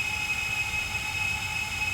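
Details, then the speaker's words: FT 210 quadcopter motors in Betaflight motor test, throttle walked up to 1016: steady even high-pitched hum, no roughness once past the uneven low start; motors running smoothly. "we'll take it to 1016 so 1016 they're run really smooth right now"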